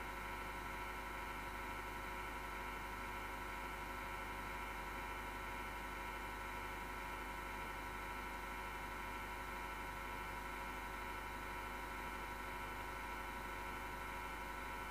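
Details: MSGW Plutos desktop PC power supply fan: steady harsh whir with several whining tones and rough grinding, vibration felt; owner suspects bad bearing; noise recurs after months and vanishes after overnight off.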